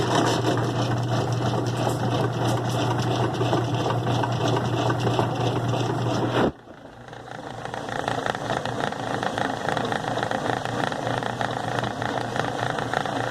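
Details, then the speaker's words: 2005 Kenmore 70 Series direct-drive washer, model 110 2752 500, on wash cycle: steady low hum with rough rattling that drops off sharply; agitator dogs described as worn, noise suspected from the water pump. "prender la lavadora en modo se está haciendo el ruido [Música] este los perros están desgastados"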